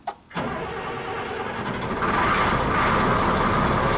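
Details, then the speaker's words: CAT-powered mega crane diesel whose owner reports it sometimes cranks over 10 seconds when restarted from the superstructure. Here it is cranked about five seconds, catches quickly and settles into a steady, even run; crank time not noticeably long. "so it started up huh see i thought the problem was going to be more noticeable that didn't seem like that long of a crank time"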